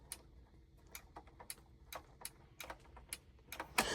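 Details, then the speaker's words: Condensate pump for an air handler, basin being cleaned: sharp, light clicks at uneven intervals in a quiet room. This is the float switch cycling on and off normally; it would shut the system off if the water level got too high. "So, you can hear it click on and off. That's what actually uh would turn this thing off if water levels got too high."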